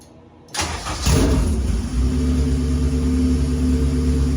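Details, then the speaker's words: K-series engine in a supercar build, successful start after an earlier no-start, with fuel pressure present: the starter cranks briefly, it catches within a second and settles into a steady, even idle with no knocks or misses, so a normal start. "I back and now we're good so now I can show you that it does run"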